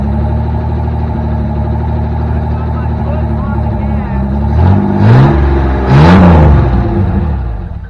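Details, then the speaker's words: 1984 Chevy S10, carbureted, choke off: engine stumbles and surges on throttle blips and won't idle; owner suspects a vacuum leak or a misadjusted throttle screw. "Trying to keep it running, it won't idle. Either I've got another vacuum leak somewhere."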